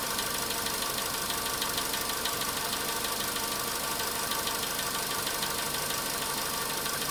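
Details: VW Polo sedan, cold start at idle: fast, even light tapping of about three per second, steady throughout. The knock reportedly fades after about 4 minutes 40 seconds, near 55 degrees. Cause unknown.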